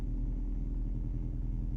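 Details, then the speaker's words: VW Mk2 Golf, sat for a long time, on cold start after refilling with fresh fuel and priming: deep idle rumble that swells and dips unevenly, running lumpy; dirty fuel in the lines suspected, and it still needs tuning. "must been dirty fuel that's what we got to come back to must be dirty fuel getting through the lines right"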